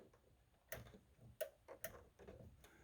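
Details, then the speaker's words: HQ Holden Kingswood with newly installed Vintage Air, engine off: a few sharp dry clicks in a quiet cabin as the controller switches the A/C relay on, working normally. "so there's the Vintage Air controller you have the um off and cold that just changes the actual you can hear it turn on the relay"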